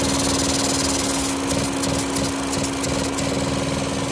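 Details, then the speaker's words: 2012 Ford Focus 2.0 at idle: steady hiss with fast soft ticking as the evaporative vapor canister purge valve, commanded to 0% and disconnected, passes vacuum when it should be fully closed; the valve is leaking (known failure, recalled; codes P0456, P1450). "At 0 it should be closed. It shouldn't allow any air or vacuum. It's allowing vacuum through instead."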